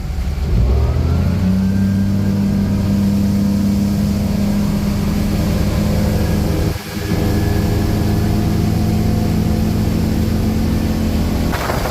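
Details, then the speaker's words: Volvo Penta engine in a Regal boat after a leaking fuel injector was fixed, run at wide open throttle (tach reads about 5,500 rpm, doubted): strong, smooth, steady note with good temperatures, no misfires or alarms. "running smooth and steady well so far so good temperatures are good sounds good we got no misfires no alarms nothing going on"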